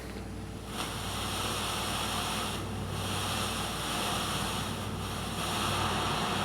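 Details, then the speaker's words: Magnavox Micromatic power transistor record player amplifier, no AC hum: steady seashell-like static in the left channel only, varying with volume even with tone-arm cables unplugged; owner suspects a bad cap or noisy transistor. "but as I move the volum around the Left Channel sounds like a seashell okay it's probably a no a bad cap or maybe a noisy transistor I'm not sure"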